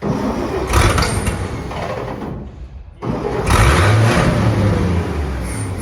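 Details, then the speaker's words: Roughly 70-year-old truck with a newly replaced starter, spark plug wires reconnected, engine confirmed not seized: sluggish, uneven slow cranking with a pause, not enough to pull air in; owner suspects voltage drop, considers a jump pack. "yeah just dranking too slow um it's not going to have enough enough enough movement to get the air down and in"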